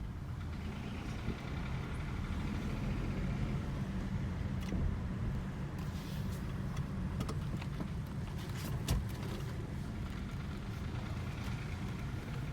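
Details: Hyundai HB20 three-cylinder engine at idle: steady, dense diesel-like clatter over low hum; three mechanics said three-cylinders sound odd, one suspects piston pin noise, not confirmed.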